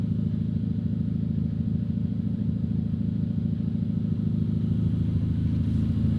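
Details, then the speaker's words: Honda Civic Type R after a head gasket repair and a code clear, warming at idle until the fans come on at about 200: smooth, regular low idle with no knocks or misses. Healthy, much better than the earlier misfiring. "Pretty much just letting the car warm up, get to about 200 so the fans can turn on, make sure that the fans work and everything's good. But everything sounds good and healthy so far."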